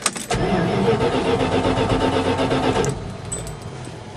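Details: 1979 Dodge Adventurer 100SE pickup, 30 years old, 109,365 miles, cold start on choke after ~3 weeks sitting: steady rhythmic cranking about four turns a second for a few seconds, then settles to quieter idle; normal cold cranking and start.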